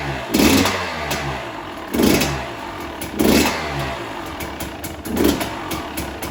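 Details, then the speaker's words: 2020 KTM 300 XC-W two-stroke after switching to the softer map setting 2, because the throttle hit very hard: four sharp rev bursts that climb and drop cleanly back to idle; runs healthy. "So sounds good. That should put the map setting on the setting 2, which again is the softer setting from the factory, or not the factory setting, but the softer setting, which should soften up the hit on the throttle a little bit."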